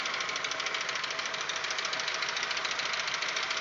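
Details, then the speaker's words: Audi 1.8, 90 hp, at idle: light, fast tapping, three to four per second, very loud and growing as it warms, absent cold. This follows cylinder-head repair. Owner suspects hydraulic lifters. "вот тут уже на шестой минуте усилил как-то я не знаю в каких мер очень очень громкий стук ну это на холостых оборотах"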